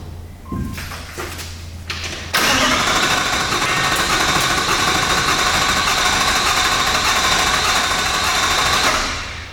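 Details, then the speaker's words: V8 Toyota LandCruiser first start after starter motor replacement, fuel drained during job: a few short starter bursts with extended cranking before the engine catches and runs steady; air in the fuel system suspected. "I'm expecting it's going to crank for a while because of the amount of fuel that came out. There's definitely air in there."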